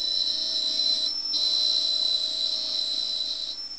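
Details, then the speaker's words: Atari 800XL loading a game from cassette datasette: shrill steady high warble with lower tone, breaking off briefly twice; normal tape data loading tone. "So you see it's running and you hear the annoying sound squeak. If you haven't got a tinnitus before, you may get one."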